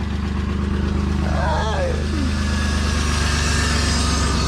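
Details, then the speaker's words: BMW E36 convertible just after cracked oil pan replacement, fresh oil, pre-primed by dry cranking for oil pressure; smooth even idle, steady low drone, no rod knock or ticking; normal idle. "not sounds good no knock the motor lived it survived the oil pan"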